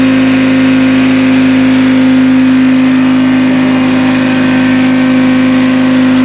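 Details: Supercharged 2-53 Detroit two-stroke diesel in a 1960 John Deere 440 backhoe, locked up after years sitting, now revived: smooth even drone, steady high blower whine, no knocks or misses; good oil pressure, normal running.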